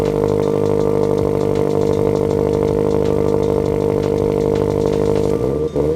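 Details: Turbo Subaru BRZ on first start, temporary non-permanent setup, restarted after smoke from burnt oil on the turbo blanket and a spilled oil feed, with a coolant puddle underneath. Uneven, lumpy idle wavering about three times a second with a steady tone on top. It runs rough; a custom tune is expected to fix it.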